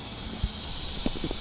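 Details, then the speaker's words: During a front brake pad and rotor job on a 2000 Acura TL, a constant high-pitched hiss runs under tool clinks from the shop's failing compressed air line, which is leaking. "My airline is going bad, so sorry that you have to hear that."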